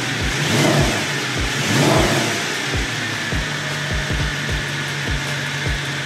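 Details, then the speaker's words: Mercedes-Benz M156 V8 (E63 AMG) after cam adjuster pin flip repair, adjuster reinstalled on driver's side bank. Catches and settles into a firm, lumpy V8 idle with regular pulses and no startup rattle; runs healthy. "We installed the cam adjuster on the driver's side bank. So let's see what we get. Let's crank it up, see if everything works."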